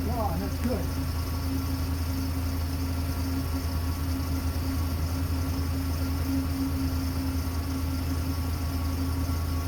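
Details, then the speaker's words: 2003 Dodge Ram V10 8-liter just after startup following belt tensioner pulley replacement (old one chirped when cold): steady low idle hum with only smooth belt whir, no chirping; belt drive running quietly. "There's still a little bit of noise there, but the noise is not the, it's just the belt running that you hear. It's not making a chirp, chirp, chirp like it did when it was cold before."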